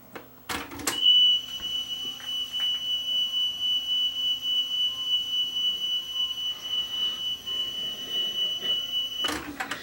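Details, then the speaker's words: Aiwa AD-F370 cassette deck sold as restored with all belts changed. A high test tone wavers with heavy wow and flutter over hiss. A wrong belt is suspected; a roughly 1 mm wide belt was found inside. "He was told that it was restored, that all the belts had been changed in it and everything, but as you will hear, he says it has very high wow and flutter."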